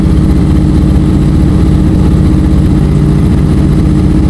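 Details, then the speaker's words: Honda CBR650F inline-four at idle, rider reports stumbling while riding: lumpy uneven beat, cylinder 4 not firing; spark plug or ignition coil on number four to be checked. "สูบที่มีปัญหาก็คือสูบที่4นะครับไม่มีการระเบิดนะสูตรที่4นะสูบที่4ไม่มีการจุนระเบิดนะฮะ"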